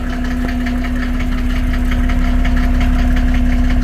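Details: 1987 Mercedes 300SDL W126 OM603 diesel, cold start before a diesel purge, fires first time with no smoke. Sharp, regular clatter about three times a second rides over a steady idle hum; heavy diesel knock, cause unconfirmed.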